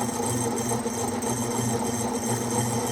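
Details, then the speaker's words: New lathe making a slow side cut with a custom-made cutting bit: harsh, rough scraping chatter throughout with no smooth tone. The corner broke off the bit, which was then swapped for a new one. "really don't know how take in front of this cutting I can't noise makes it's terrible I think it messed your bit did that it did took the corner off that bit dang it look Corners broke off there"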